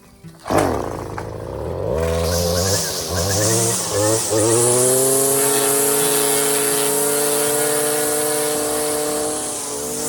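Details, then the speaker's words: Stihl FS56 string trimmer with the line cut too short; the engine climbs to a thin, screaming steady pitch and holds it with no load, over-revving. "The string is too short there. That's why it's going And you know, it's just it's too short."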